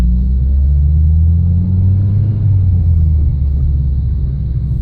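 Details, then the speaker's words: Mitsubishi Lancer test drive after correctly reinstalling sway bar end link with aftermarket springs: steady road and engine rumble, no rattle or clunk over small road crevices where rattle was previously heard. "all these little crevices in the road I usually I hear that rattle and that relative to haven't gone so looks like that help"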